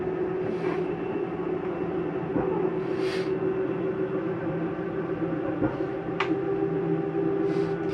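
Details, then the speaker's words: 2022 Jayco Whitehawk 27RB RV slide-out retracting via the control panel: steady low motor hum; the noise at the end is not grinding but normal, the slide mechanism stopping itself from going in further. "i want you to hear that noise that is nothing grinding that is the slide mechanism telling itself not to go in any further"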